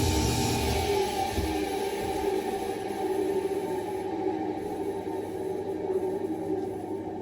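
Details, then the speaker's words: Roughly 20-year-old combi boiler fan at the top of the boiler: a steady whirring drone with a few fixed tones sags as the fan runs down. Worn fan motor bearings resonate through the walls; fix is to lubricate or replace the fan. "You can hear how loud them bearings have got, and obviously the boiler's quite noisy. It's on the wall. You can hear it resonating through the bedroom walls and all sorts."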